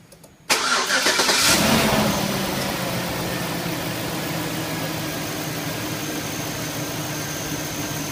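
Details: 2004 Chevy Suburban 5.3L after fan clutch replacement, which had caused warm A/C at idle and slight overheating: engine catches quickly into a steady, even idle with a strong, constant fan rush; problem fixed.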